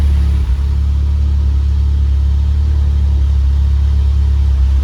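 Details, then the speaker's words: Mitsubishi Evo X with big turbo, cams, newly installed ID1050 injectors and modified map, warmed up: steady, even low rumble idling around 1000 rpm, raised because of cams, AFR about 14.7; normal high idle. "it's warmed up now but the idea is a little high because we're running cams we gotta run about a thousand rpm idle"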